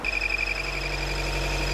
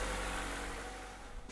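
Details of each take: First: 2014 Chevy Volt, engine running, before repair: steady high whistle over the running engine from the broken PCV valve built into the valve cover; the valve cover is to be replaced. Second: 2014 Chevy Volt engine running after replacing the valve cover with its built-in PCV valve: even hum, whistle gone, fading off at end; front crank seal may still need replacing as it was being sucked in.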